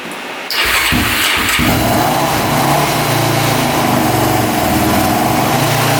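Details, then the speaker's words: Mostly stock Honda quad, jump-started with the choke out: very hard starting, then revs with an uneven, lumpy beat and no settled idle. Valves are closed up to zero clearance; cooling is to be checked next. Tight valve clearance. "it definitely needs to choke out to even be close to starting so it's really really hard starting and um yeah it's not sounding the greatest"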